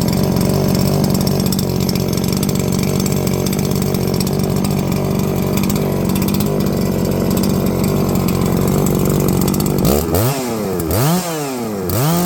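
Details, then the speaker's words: New Holzfforma G366 Pro chainsaw (MS361 clone), first run after warm-up: steady high rev with slight burble, then revving down and blipping; runs well but a little rich on the high end, expected from factory. "As you heard out there, she's running very nicely, and probably one of the best sounding clones I've ever heard. You know, definitely running a little rich on the high end, but that's to be expected from the factory."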